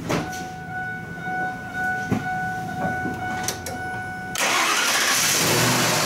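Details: Ford F-150 after replacing the fender-mounted starter solenoid that caused an intermittent no-crank, no-start: key turned, brief crank, engine catches cleanly and keeps running; starter engages normally.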